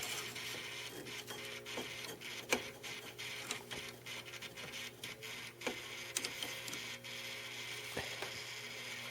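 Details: 17-year-old 240 V GE Advantium microwave oven SCA2000FBB03, heard through the oven cavity while switched off: steady low motor whir with faint hum nonstop, plus handling clicks; damper motor keeps trying to open an already-open damper door.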